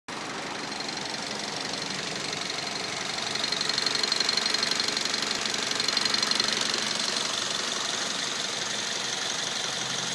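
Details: 2009 Mazda 3 2.0, 57,000 mileage: fast light ticking of about three a second over a smooth idle, rising with revs. It persists with the intake manifold connector unplugged; no oil consumption or power loss; cause unknown.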